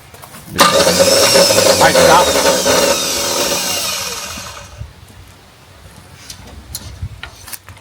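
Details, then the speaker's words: 1975 Jeep CJ5 not run in over 20 years: high whirring spin for about four seconds with no firing, then winds down. Starter spins but does not engage; suspected insufficient power or starter gear not pushing out. "something's spinning yeah it's just not uh it's not connecting is it it's not uh I don't know if it's full juice maybe it's not pushing out"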